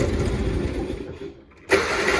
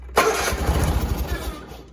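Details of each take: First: John Deere 317 lawn tractor (year unknown), unchoked, engine a little cold: catches after a brief dropout and settles into a steady, slightly uneven low chug; normal cold running. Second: John Deere 317 garden tractor, slightly cold, unchoked and unthrottled, after fixing a wire pinched by the firewall: fast, even cranking for about two seconds that never catches; hard starting.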